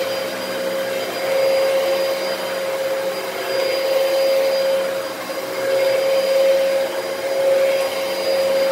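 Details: Dyson DC33 vacuum bought used from Facebook Marketplace, running: steady high whine over the airflow rush that never drops away; motor whine, owner suspects the motor or possibly a dirty HEPA filter, unconfirmed.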